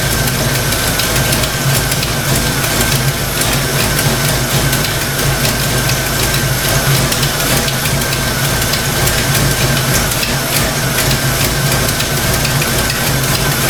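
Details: Fox Mustang V8 at warm idle: a fast, light clacking rides on the rumble, thought to be valvetrain ticking; the owner suspects stock rockers, and separately suspects the water pump isn't circulating coolant.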